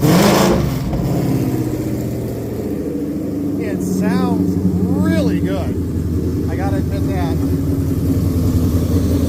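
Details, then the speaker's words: Ford 5.0 Coyote crate engine with 71,000 hard-run miles, a running pallet for a 1966 F100. It cranks, catches quickly and settles into a steady, even V8 idle with quiet valvetrain ticking; healthy. "the valves sound amazing."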